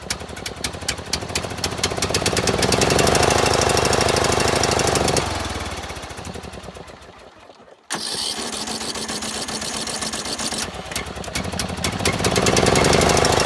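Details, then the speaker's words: John Deere L100 small single-cylinder engine, first start on original battery with choke on: uneven stumbling beats and surging speed with one dip; owner suspects fuel a couple years old. "the fuel in this thing is as you can see not all thereo and last night that muffler was just full full trying to name that smell smells like rank rank old Fuel and I mean I mean the fuel in this thing's a couple years old"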